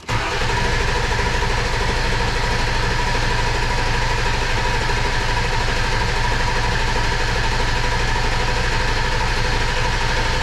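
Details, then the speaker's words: 2002 7.3 Powerstroke diesel, first start after engine install: starter turns it over evenly at a steady rate but it never catches; no fuel pressure, reportedly air still in the fuel system. "they said there's still a bunch of air in the fuel system so this might"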